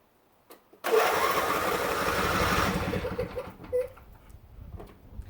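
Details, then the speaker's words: Riding mower with a healthy battery: quick, brisk starter whirr for about two seconds with an even beat; normal fast crank, unlike the slower turnover of a low battery. "the fourth reason your mower may not be starting is because the battery is low and instead of hearing this fast turn over sound like this"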